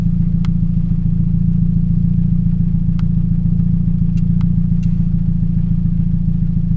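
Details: 2007 Toyota Yaris 1.5L 1NZ-FE at idle, before the coil and plug replacement. A regular stumble and uneven chuff about three to four times a second suggests a cylinder dropping out. This is a misfire, later traced to cylinder 3's coil.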